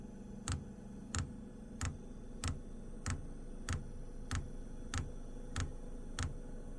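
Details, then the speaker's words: WIPPRO diesel heater after reinstalling its fuel pump, which had been fitted backwards causing E10/E8 failed starts: crisp, even ticks about 1.5 per second over a quiet low hum; dosing pump priming and pulsing normally. "now it seems like everything's going the right direction yeah yeah now it's stting it's starting to work it's going to take a second to Prime itself"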